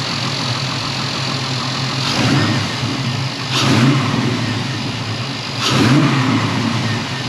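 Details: Pontiac Firebird with transplanted LS1 V8, first run in 25+ years, heard from outside after an exhaust leak fix: steady idle with clean throttle blips that rise and settle smoothly, no ticking or puffing; alternator not charging.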